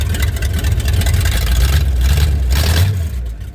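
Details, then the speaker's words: Pontiac 389 V8 started and running after the owner adjusted a rod many times to cure a no-idle problem: a low, even rumble settling to a steady slow idle, no longer at 3,000 rpm, with no surging, running normally. "It's not idling at no 3,000 RPMs, is it?"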